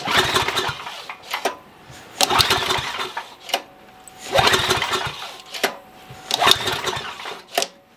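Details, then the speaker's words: Coleman Maxa 5000 ER generator (5,000 W, 120/220 V), bought secondhand with fuel still in it, on choke with fuel valve open: five short rasping recoil pulls that die with no firing; cranks but won't start, fuel bowl checked next for fuel starvation. "all right so that's not running at all um first thing I'm going to do is crack the uh fuel bowl so we going to go ahead and crack this open right here check and see if we even have fuel going into the bowl"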